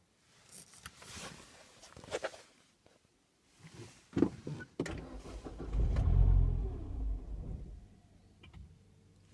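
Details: Mini R55 JCW petrol engine with P0301/P0303 misfire codes catches with a thump, runs rough and lumpy for a few seconds, then stalls; cause turned out to be the high pressure fuel pump.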